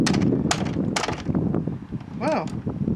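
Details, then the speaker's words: Dyson vacuum cleaner motor, already seizing and burning through brushes, restarted after water got in: sharp irregular crackles and pops with a brief wavering whine instead of a steady hum. It dies quickly from water ingress. "That killed it quickly."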